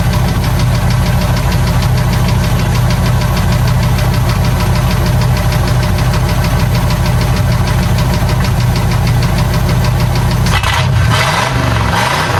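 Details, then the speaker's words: 1984 Ford F250 351W V8, previously boggy and would not rev: deep, loud, slightly lumpy rumble through a free-flowing exhaust, holding a steady idle on all cylinders; normal idle. "let's just listen to it for a second that 351 W running on all"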